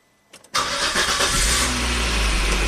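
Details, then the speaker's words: 2004 Volvo XC90 with a prior long crank/stall and CKP signal fault, after reinstalling the original crank sensor and tightening the transmission ground: brief crank, then catches at once into a steady, even idle; normal start, fault fixed. "that's how it's supposed to start"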